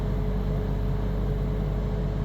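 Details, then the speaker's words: 18k Chill Cube air conditioner compressor ramping up toward about 800 W: steady low hum with a thin constant tone. Tone changed and volume rose about 1 dB; started 5 days ago, alongside low-frequency pulsing at 80–81 dB. Owner wonders if the unit is defective. "Change of uh tone and volume went up about a decibel, but the change in tone, you definitely could hear it."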